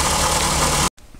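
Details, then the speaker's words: Four-cylinder Toyota RAV4 with an engine noise that is getting louder, heard from the passenger side at idle: rough, rattly knocking over the idle. The owner suspects the idler pulley in place of the power steering pump, but replacing it did not stop the noise. "seems like it's coming from down in there there's only one thing down in there that I know of and that's an idol"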